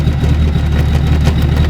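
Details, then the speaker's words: BMW E36 with an M57D30 diesel swap at idle: deep steady idle with a faint metallic jingle that goes away when the foot is put on it. A loose exhaust bracket whose bolt lacks thread engagement; fix is a new bolt with a big washer. "Yeah. So, it's just this bracket. That bolt hasn't got enough thread on it."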